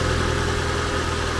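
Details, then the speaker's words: Deer-damaged Ford Fusion that was misfiring, suspected bad coil, then cleared up: steady, even idle with a smooth low hum, no stumbling or skipped beats. Now running cleanly. "there it goes i wonder if somebody did that to try to get a better deal on this it sounds good now it's actually a really nice car huh"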